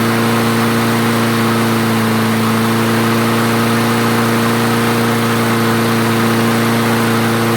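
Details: Craftsman self-propelled mower after the clogged jet was cleared; idle governor adjusted back down, having been raised earlier likely because the jet was clogging. Steady, even drone at firm constant pitch, no surging, hunting or stalling; normal running.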